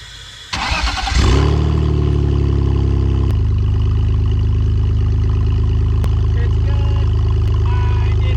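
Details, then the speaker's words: $1175 BMW E46 drift car on jack stands after drivetrain repair (one wheel stud loose), started: the engine catches and settles into a steady, even drone with no wobble or rhythmic thump. The drivetrain now runs smoothly. "drop this thing in fourth really get get it going it's fixed finally a good video"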